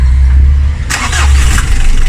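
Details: Vehicle with a no-crank, no-start problem, started after a new battery replaced the dead old one; charging later 14.1 volts: the engine catches right away and settles into a steady, even low rumble with no dragging crank; a normal start.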